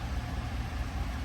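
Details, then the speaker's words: Chevrolet Silverado LT1 V8 (75k) idles with a low, quiet, even rumble and no miss after repair of a cylinder five misfire with a worn cam and lifters and a complete top-end rebuild; smooth, healthy. "it sounds quiet sounds really good nice and smooth"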